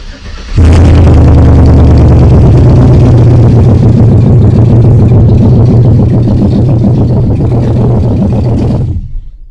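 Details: 1959 Cadillac Coupe DeVille with LS swap, wiring just verified and sensor 1 and 2 voltages sweeping correctly: catches quickly, flares briefly, then settles into a steady, even idle with no misses; healthy.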